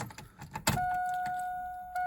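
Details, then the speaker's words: V8 S10 stored for years, first start after fitting a rebuilt used Silverado fuel pump (fuel pressure had been about 20 psi), old gas: steady mid-pitched hum at key-on; normal fuel pump priming, engine then runs. "i hear the fuel pump [Music] got some old gas but it's running"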